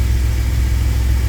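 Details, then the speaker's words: 2000 Chevy Astro idling at about 830 rpm in open loop; it had an intermittent crank-no-start and stalled while driving, with the scan tool indicating the crankshaft position sensor. Steady, even low rumble with no knocks, misses or hunting: smooth idle. "Engine is running about 830 RPMs. Let's see if there's any orange or red."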